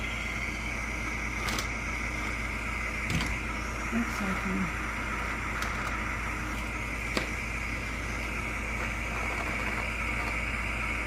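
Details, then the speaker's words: Athearn Chicago & North Western RS-3 model locomotive running: steady electric whir with faint irregular ticks; something is free-spinning loose in the drivetrain, cause not yet found, couplers to be removed to investigate. "I don't know if you can hear that, but something is free spinning in there."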